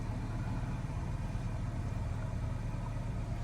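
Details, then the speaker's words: 2016 Nissan Qashqai 1.2 petrol with rough idle, shake and misfire codes P0300–P0304, after diagnosis and clearing codes: smooth, even low idle with no stumble or skip, no warnings or codes returning. "I'm going to start the car at the moment I feeling car running smooth no any warning"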